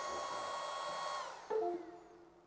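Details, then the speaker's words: Longer B1 30 watt laser engraver with auto air assist, newly assembled; loud steady airy whir with a few fixed tones from the cooling fan, then a clunk at shutoff, noisy but normal. "And I will tell you guys, the fan on this guy, you can hear it. And I don't think that's a bad thing because at least you know when the machine's on and you don't forget to leave it on."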